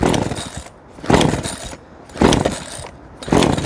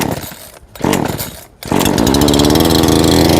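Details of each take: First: Two-stroke chainsaw flooded after repeated choke pulls: four recoil pulls, each a brief sputtering crank that never catches; fix is pulling to clear fuel, or cleaning and draining the spark plug. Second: Two-stroke engine started with switch on: a couple of pulls, then it catches into a steady, even buzz with no misfires; normal start and run.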